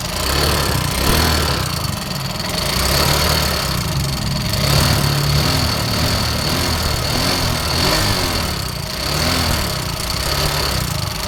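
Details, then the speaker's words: Yamaha Mio Soul GT 125 scooter emitting heavy smoke: engine running with busy metallic chatter over uneven idle; worn, loose rocker arm bearing. "Oke teman-teman di video kali ini saya kedatangan motor Mio Soul GT yang mengalami masalah mesinnya itu suaranya keemericik teman-teman dan Ini motor pun ngebul Ya seperti kereta api"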